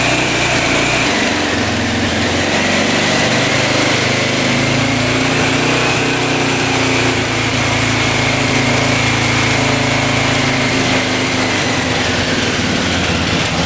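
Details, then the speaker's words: 1985 Honda XL600R single, sat a couple years, oil put down the cylinder, started on choke: revs up, then settles to a fast, slightly uneven idle with a thin rasp, smoking as oil burns off; fires and holds despite suspected low compression. "it's alive she's burning off all that oil we put down the cylinder she's idling it's a good sign"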